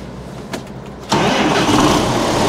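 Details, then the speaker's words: John Deere 6910 tractor, first start of the day after fitting a replacement battery and tightening leads: brisk crank turning over fairly quick, catches within a second into steady diesel run; starter and battery healthy. "As you can hear there, but it's a fair good whip out at the start. It's always an ear test. Sometimes as good as anything there, where you can hear it turning over fairly quick. So we definitely no issue with the starter."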